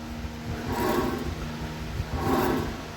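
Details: Ford Everest rolling: low droning hum that swells and fades about every second and a half, clearly heard from above; a worn front spindle/wheel bearing; disc brake pads also found worn out.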